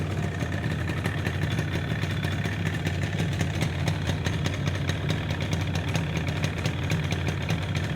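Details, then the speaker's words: Vintage two-stroke motorcycle, a 1973 Yamaha RD250 or 1974 Kawasaki F7-175, restarted with oil still in the lines: steady, even idle with crisp regular popping exhaust, no knocks or beeping; runs clean and healthy. "yep sounds so much better without that damn beeping"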